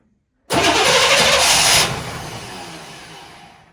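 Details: 1998 Chevrolet C1500 farm truck, after fuel pump priming: steady starter whirr cranking over a second without catching, then winding down; long crank, no start yet.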